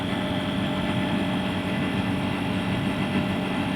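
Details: About 13-year-old air conditioner after replacing only the failed compressor without releasing the refrigerant gas, with pressure at 60 and rising: even, steady hum with a constant low drone and no rattles or knocks; the new compressor runs normally.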